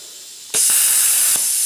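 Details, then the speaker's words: Amico plasma cutter at 38 A after high-frequency board replacement: sharp hiss cuts in instantly on the trigger and holds steady; non-touch pilot arc now working normally. "there you go that's exactly what it's supposed to do as soon as you hit that button that thing's supposed to kick on so perfect"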